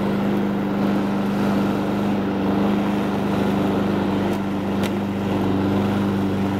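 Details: Honda Harmony 215 mower engine, warm, after a third carb cleaning; idle mixture screw tip broke off so there is no low-end adjustment. It holds a steady, even drone with no surging or hunting, with light wind over the mic: running fine.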